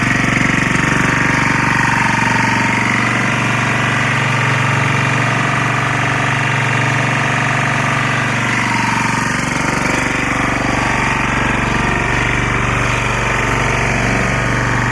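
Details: Lombardini 6LD260 air-cooled diesel on a traffic sign, cold start after 10 years unused, old fuel purged, fresh diesel from remote tank; even clatter about four beats a second, no misses or surging, smoking a little, running against the generator; normal idle.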